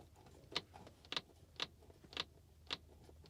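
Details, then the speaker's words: Tesla Model 3 after one year, rear parcel shelf pressed by hand: sharp, light clicks about every half second from foam whose double-sided tape is letting go; fixed by re-taping the foam. "I'm not sure if you can hear that but it's like a loud kind of like a almost like a clicking noise now that was happening when I was driving"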